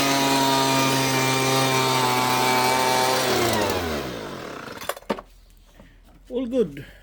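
Strong, even two-stroke buzz holds a steady pitch for three seconds, then winds down cleanly at shutdown. The blower runs properly.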